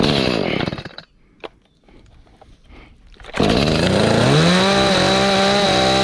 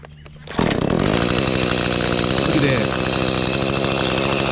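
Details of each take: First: Echo CS310 chainsaw that would not start, idle or cut, first run after a carburetor replacement on choke: it stalls, restarts and revs unevenly. It needs tuning, after which it was fixed. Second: Echo CS310 chainsaw after carburetor cleaning and tune-up (previously wouldn't start, idle or cut): small two-stroke catches and settles into fast, even buzzing idle without choke; steady and clean, idling properly.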